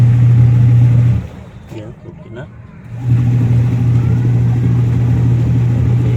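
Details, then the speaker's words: Washing machine with replaced 150W motor and 10uF capacitor: loud steady low hum, briefly dropping away then returning; motor is too noisy. "Okay na guys Ayan motor natin yan masyadong maingay guys yan"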